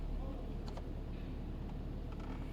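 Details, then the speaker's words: 2019 Toyota Camry, AC on after unplugging the bypass valve connector: low even engine hum, no gurgling or water sloshing behind dashboard; dashboard water noise with AC on attributed to the bypass valve; normal HVAC operation. "Oke teman-teman untuk suara dari air tersebut sudah tidak keluar lagi jadi bisa dipastikan kalau suara air pada saat AC dinyalakan atau suara genangan air pada bagian dashboard itu bisa disebabkan dari valve Bypass"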